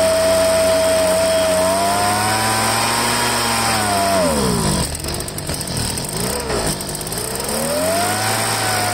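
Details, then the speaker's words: Poulan handheld two-stroke leaf blower after fuel line replacement: tone hunts up and down, sagging and recovering instead of holding steady; dirt in the carburetor, probably from a broken primer bulb, upsetting the mixture. "it had obviously had some dirt in the carburetor"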